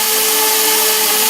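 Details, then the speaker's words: RC quadcopter drone, motors over-revving untouched: steady high buzzing whine at full pitch while it never lifts off and tries to flip; owner believes propeller shafts are the cause. "Not touching a thing. It's getting really loud and revving really high. If I try to do it even a little more, it doesn't go anywhere, see?"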